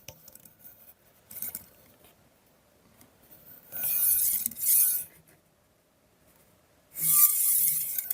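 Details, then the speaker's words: Recurve bow with Pat Norris springy rest, microphone next to rest: harsh hissy rasping in two draws as arrow drags across bare spring-wire rest; quite noisy, thread to be added to quiet it. "Yeah. So, you can hear it's quite noisy."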